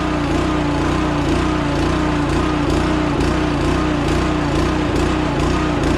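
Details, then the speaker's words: Small gas engine on a sprayer tender trailer pump: loud buzz lurching about twice a second instead of running smooth; rough running, owner suspects water in the gas (as the previous year) and plans to drain and replace fuel. "I'm gonna drain the gas out. We'll replace it. Hopefully that makes it better."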